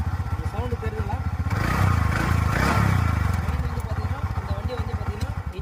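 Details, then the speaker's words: TVS Ntorq 125 scooter awaiting full engine work, revved from idle: loud rapid clattering pulses, about four per second, swelling with revs and fading back; excessive engine noise, gearbox issue also reported, engine to be dismantled. "Vehicle start பண்ணி பாருங்கள், first என்ன sound வருதுன்றதை. வந்து பார்த்தீங்கனாலே தெரியும்."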